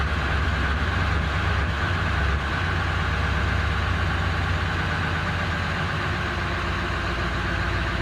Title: 7.3 powerstroke rough idle .HELP!.!